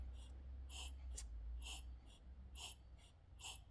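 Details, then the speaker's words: Cub Cadet 2X 26 with a no-start problem. Pressing the primer gives quick, uneven hollow puffs that push only air and no fuel, pointing to clogged carburetor jets before the rebuild. "the way I know it's carburetor if we go to prime it and you listen it's not getting any fuel it's just putting air"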